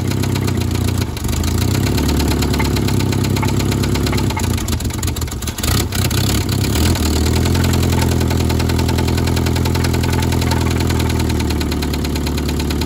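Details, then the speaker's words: 1972 Toyota Celica 18RC, first run in 26 years on a rebuilt original carburetor, cold day: loud uneven idle with loose metallic clatter, no blow-by; exhaust and intake manifold to be replaced to cure the clanky sound. "sounds a little bit clanky but once we get that changed out it will sound better"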